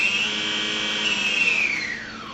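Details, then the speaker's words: Hawkeye II aerial photography plane, brushless motor armed with the propeller removed: throttle stick gives a thin, high, steady electric whine that slides down in pitch as the unloaded motor slows. Normal operation. "And if you heard that little twiddling sound, that means that the motor is now armed. So this stick on your radio is your throttle stick. It's like giving the plane gas. So now whenever I give the plane gas, the motor is going to run."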